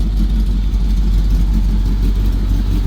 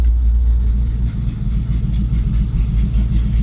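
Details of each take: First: Chevy C10 square-body truck at idle after its cracked frame was welded and the exhaust reconnected; exhaust has cutouts and possibly Flowmaster mufflers. Deep, even V8 burble with a steady rumble and no ticks or rattles. The exhaust sounds sealed and healthy. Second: Chevrolet C10 squarebody truck, frame crack welded and exhaust reconnected: deep, loud, uneven rumbling idle with a raw, unmuffled bark; the exhaust cutout is open, so it only sounds like a big leak.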